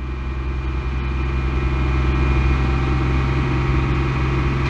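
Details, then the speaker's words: 1999 Ford Explorer 4.0L SOHC held at about 2500 rpm: smooth continuous drone without hunting as fuel trims improve, confirming a vacuum leak causing the rough idle at idle. "as you can see my fuel trims are getting a lot better that tells me that I got a vacuum leak somewhere"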